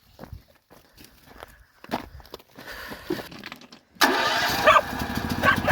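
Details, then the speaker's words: Harbor Freight Predator 8750 W generator after carburetor replacement for a no-start with broken plastic choke piece: handling noise, then it catches at once on electric start and settles into a steady, even, much quieter run; starts and runs normally. "Yeah, sounds good. Sounds quieter. Got electric start too. God, it sounds so much quieter."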